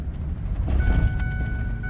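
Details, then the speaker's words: 2009 Ford F250 6.4 Powerstroke diesel after #7 injector replacement: steady deep even rumble while driving, no misfire or stumble; running smooth, whereas before #7 seemed not to fire at startup. "And yeah, it sounds good. Feels good too."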